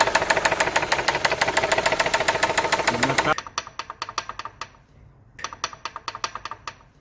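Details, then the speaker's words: Car engine with a sharp, regular metallic knock about three or four a second, constant at high or low revs; worn connecting rod bearings giving play between rod and crankshaft. "Esto a altas o bajas revoluciones del motor es un golpe constante que se escucha así."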